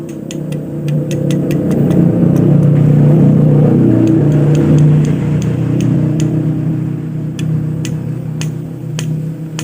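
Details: Yamaha Aerox scooter engine running rough with sharp metallic knocks about four a second; connecting rod (big-end) diagnosed as faulty, replacement rod ordered.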